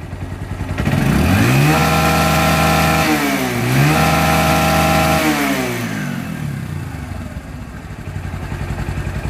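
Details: Old Bajaj Discover 135 motorcycle after fixing engine tick and rattle sound: clean single-cylinder note climbs smoothly on two quick blips and drops to an even idle, no ticking or rattle; healthy.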